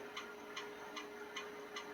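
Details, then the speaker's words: Amiga powered on after battery corrosion work and battery removal, Shadow of the Beast disk inserted: light even ticks about two and a half per second over a faint steady hum. Floppy drive stepping normally while loading. "Come on, Amiga. I know you got it in you. I hear the disk drive's going."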